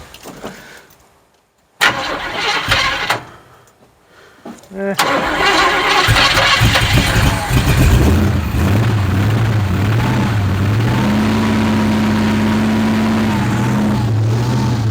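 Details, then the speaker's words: 1972 Chevelle sat 5 years, start attempt: stop-start cranking, then it catches and runs at a wavering, hunting idle before dying; confirmed it runs but is out of gas. "oh well we know it'll run yeah she's out of goose"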